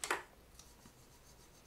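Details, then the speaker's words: Spyderco Tenacious pocketknife after disassembly, maintenance and pivot adjustment, oiled: short gritty swipe and light snap as blade swings open; normal detent ball rubbing on the tang, remains even with oil. "this noise is it's gonna be there. It's the detent ball rubbing up against the tang, even with some oil, nano oil, not olive oil."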